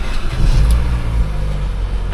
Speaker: No chain noise.